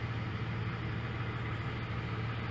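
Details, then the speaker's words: 1996 Jeep Grand Cherokee Laredo, warm at operating temperature after its idle air control valve was cleaned for rough idle and poor mileage; check engine light still on. Quiet, smooth, steady idle with no hunting. Normal warm idle. "okay I got it running got it up to temperature"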